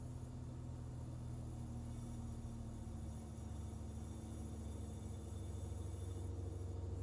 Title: Rough idle on BMW e46 ZHP